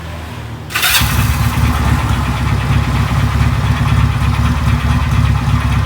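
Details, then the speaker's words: Benelli 250 motorcycle, owner complains of engine noise: it catches and settles into a rough idle with irregular heavy knocking deep in the bottom end, sounding like parts colliding inside; consistent with connecting rod knock. "Oh bisa mengidentifikasi seperti ada barang di dalam enjen itu berbenturan ya tapi kita dapat pastikan bahwa masjid ini ke flash di bagian habis pakai OHP soalnya sudah mau blak atau oke teman-teman ya"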